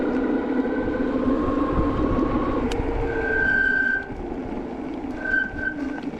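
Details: HyperScrambler 2 bike on a cold day after applying Squeeealll Out anti-squeal paste: a thin, high squeal starts with each brake application and holds over riding noise until release; paste helped the rear but not the front; disc brake squeal.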